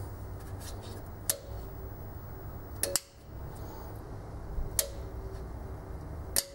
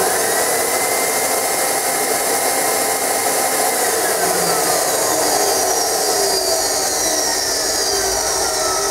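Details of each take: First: Aussie Vac AV1400 ducted vacuum, about 10–12 years old, not turning on: circuit board relays click about every 1.5 seconds but motor never spins up; tapping motor with mallet makes it try to start, typical of worn carbon brushes, later replaced. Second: Aussie Vac AV1400 ducted vacuum, about 10–12 years old, after carbon brush replacement: steady smooth high whine with faint bearing rumble easing at spin-down; motor working, slight bearing noise normal for its age.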